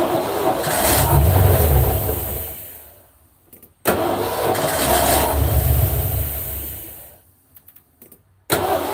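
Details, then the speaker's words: Ford F150, first start after valve cover work: it catches, runs unevenly, sags and nearly stalls twice; a vacuum leak is suspected even though one was already fixed. "Open nights, you got it, Alright, there's gotta be a vacuum leak somewhere. But I did fix that vacuum leak, so it's probably why it's idling like it."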